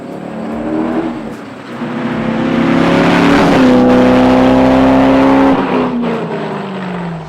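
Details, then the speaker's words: 2001 C5 Corvette V8 on test drive, in cabin, after replacing a shredded tensioner pulley, idle two and a half weeks: pulls cleanly through revs and settles, no belt squeal, coolant running cool; sounds healthy. "everything seems to be running awesome uh there's no more squeak in the pulleys the coolant's running at a nice cool temperature"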